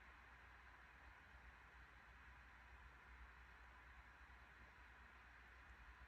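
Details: 2021 MacBook Pro 14" M1 Max 32-core, CPU (Cinebench R23) and GPU (Path of Exile) at 100% load, fans about 4200–4250 rpm, 94–95 °C peak, heard at user distance: steady even airy rush, no ticking or scraping; normal fan noise.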